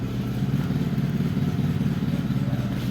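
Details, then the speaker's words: Mitsubishi T120SS after cylinder head rebuild following jumped timing belt, cold morning start: smooth, even low idle with steady beat, no knocks or misses; engine now runs normally, starter works well. "untuk hasil akhirnya ya unuk kita hidupkan di pagi-pagi ya guys langsung jeng itu ya guys suaranya sudah Jeng jengengeng sudah langsam"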